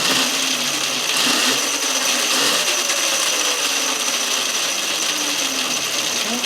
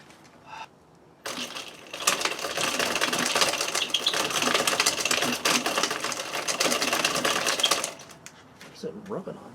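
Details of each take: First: Electric-converted Yamaha WR250 at around 90 volts after front motor mount reinforcement and chain tensioned just past the 38 mm minimum: steady high electric whir with light even chain hiss, no rubbing or clunks; forward drive runs normally. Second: Yamaha WR250E after front motor mount reinforcement and chain tensioned just past 38 mm: fast, dry ticking and scraping for about six seconds while the wheel spins in reverse; forward is fine, something in the chain drive rubbing.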